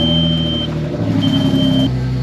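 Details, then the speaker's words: Audi engine at idle: an uneven, stumbling beat under the steady engine note. Scan shows misfires on cylinders 1 and 5, and coils are to be swapped between cylinders to test whether a coil is at fault. "Well, that's a lie, and that's not right. That thing sounds like shit."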